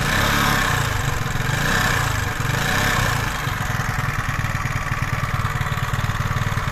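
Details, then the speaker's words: 125cc four-stroke scooter engine just after piston and ring replacement, new rocker arms, cam timing and valve adjustment, fresh 0.75 L oil: steady even putter at idle with soft regular pulse, no knocks or rattles, runs clean. "now the oil level is exactly where it should be and it seems that it is not making oil at the moment, we have no problems with its operation."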